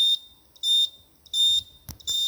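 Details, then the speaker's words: Land Rover converted with Tesla motor and HV components, car booted with contactor closed: Tesla PCS DC-DC converter emits repeated high half-second beeps about every 0.7 s in a quiet room, from a poor ground connection. "the contact is closed but there's something weird going on with the PCS oh are you supposed to make that noise"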